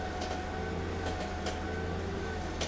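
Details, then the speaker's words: Mercedes SL500 (R230) idling and steered at low speed: a few sharp irregular pops over a low rolling rumble as the wheel turns; owner suspects the ball joint at the bottom of the strut, not confirmed. "Yeah, that's horrible. Yeah, for my research, that is the ball joint on the bottom of the strut. They go bad."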